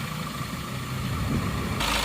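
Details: Suzuki Ertiga common-rail turbo diesel, just reassembled and started after an engine teardown that began as an oil-leak repair: brief, clean, even rev with no knock or rattle and no smoke.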